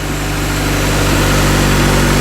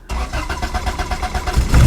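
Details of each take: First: Cheap tow-yard Acura Integra (DA) started after finding a fuel pump cutoff switch under the back seat: steady engine note climbs and drops cleanly through quick blips with no knock or tick; revs freely, sounds healthy. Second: Honda/Acura DA Integra bought from a tow yard: quick cranking, then it fires and runs only on starting fluid. No fuel delivery because the fuel pump cut-off switch under the back seat is off.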